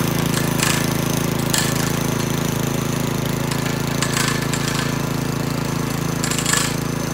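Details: McClane 3.5hp edger with Briggs & Stratton engine, after sitting for years and then getting a carburetor tune-up, oil change and fresh fuel, started cold. A steady, even single-cylinder drone with brief gritty bursts as the blade bites the edge. Runs cleanly and cuts a nice line.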